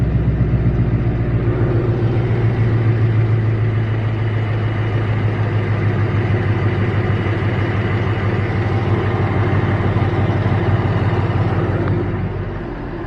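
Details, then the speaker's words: Newly installed Coyote V8, just back from the dealership, temperature normal after a 50-mile drive, hood up: a steady, even idle with the noisy direct-injection tick on top. There are no knocks or rattles; the idle is normal and quiet. "as a mouse just like when I bought it quiet as a mouse and that's all I've ever wanted"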